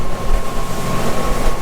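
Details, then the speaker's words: Boat outboard that was limited to 4500 RPM, after fixing the trim sensor: steady even wide-open-throttle drone at 4,900 RPM, clean constant tone with no misses or surging; running healthy at top RPM. "4,900 running just the way it should beautiful"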